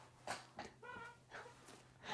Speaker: Dang, next on my list to buy is a chair or some WD-40. Hear how squeaky this is?